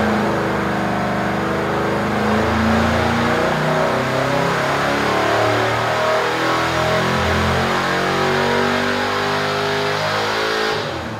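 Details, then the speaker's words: 383 LT1 V8, 11.0 compression, LE 1.2 cam, LE 2 heads, fifth full-load dyno pull after water brake slipped: loud clean climb through revs, no knocks or misses; still 502 hp (at 5900 rpm). "fifth pull just to see if we can get a consistent and get the water break to be more consistent it's still a 502 horsepower"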